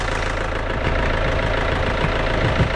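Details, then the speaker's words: Mini Cooper D diesel, bought cheap as a non-runner, started on a jump pack: rough, loud idle with heavy uneven clatter and a deep knock at engine speed, more audible when revved; internal damage suspected, not confirmed. "so as you can hear it's not quite white a little bit noisy"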